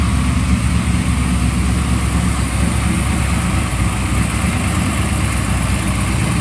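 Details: Freshly built 383 stroker for a 1995 LT1, Eagle forged crank, Holley Terminator X, brief first run on engine run stand: deep steady V8 idle rumble, even firing, no knocks or misses; water pump gasket missing, leaking.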